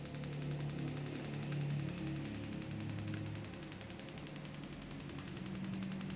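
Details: Interrupter box for spark plugs, power supply around nine volts, switched on: fast, fairly even ticking snap roughly four per second over a low fan hum; coils firing the plugs steadily and normally.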